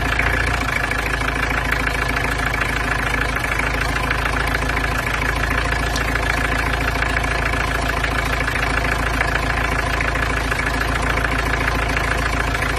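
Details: Peugeot 505 GLD XD3 diesel, first start after cylinder head gasket replacement with combustion chamber inserts fitted: even, steady idle clatter, about three or four knocks a second, no misses or odd knocks; sounds healthy.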